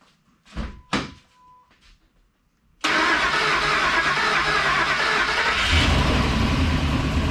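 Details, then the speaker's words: 1999 Ford F-250 after a 5.4 engine swap, first start: starter whirs briefly, engine catches at once and settles into a smooth, steady, even run with no knocks or misses; normal idle. "that runs pretty goddamn good listen to that baby purr oh yeah"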